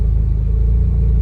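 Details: Mazda RX-8 rotary that stalled unless throttle pressed, during idle relearn after reset and clearing codes from a disconnected mass airflow sensor, about 10 minutes in: steady low, even rumble, no surging or dips; stable idle without throttle.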